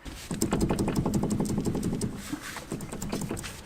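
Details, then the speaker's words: Chevy Colorado ZR2 with Peak Suspension upper control arms: quick repeated dull clunks as front suspension is worked, mainly driver's side front bushing, passenger side too; worn red poly bushings, replaced with delrin. "it's the driver's side one the front side of it is making most of the noise passenger side is making some noise too"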